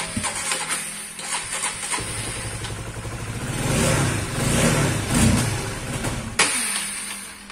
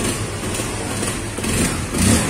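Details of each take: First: Old Honda CBR/CB150R fuel-injected motorcycle idling unevenly, surging and sagging, then stumbling and dying when throttle is snapped or released; regulator and other parts swapped without result; it once ran out of radiator coolant. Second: Honda CB150R after replacing the ignition coil with a Vario 125 coil: runs evenly at a steady idle with a light throttle blip, no stumbling; it had died on throttle and sputtered before.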